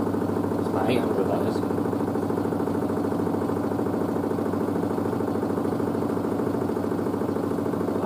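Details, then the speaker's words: New washer dryer's spin after the pre-wash, slowing down quickly afterward: a steady, even drum hum with a smooth rhythmic swish and no knocking or grinding. The door moves slightly. Normal spin cycle. "i love how quickly they slow down how they sound"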